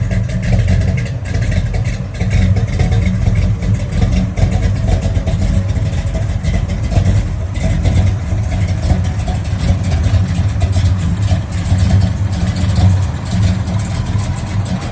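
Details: Classic Dodge Charger (Mopar) V8: deep rumble through revs with an uneven, stumbling beat and irregular drops in the exhaust pulses, pointing to a misfire. Cause suspected, not confirmed.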